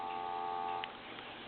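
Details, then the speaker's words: Western Electric 2554 mini wall telephone, Harvest Gold, during checkout on a line analyzer after intermittent line-seizing trouble: a steady, even hum of blended tones under a second, then drops out; normal dial tone. "we have dial tone let's"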